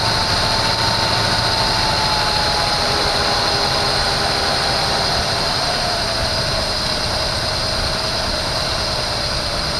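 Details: 1974 Chevy Nova V8, bought cheap and first start with fuel poured into the carburetor bowls: races at a high, steady idle with a whining note drifting slightly lower, heavy smoke; idle far too fast because the choke is still on.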